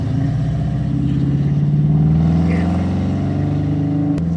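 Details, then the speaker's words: 1972 Mustang convertible, 351 Cleveland V8, new Edelbrock 4-barrel intake, headers and exhaust, automatic: deep rumble pulls smoothly as throttle opens, no stumble or bog; earlier hesitation and loading up at idle now gone, runs as it should. "It runs like it should. Yeah, but exactly. You know, I mean, it's exactly what you expect it to run like."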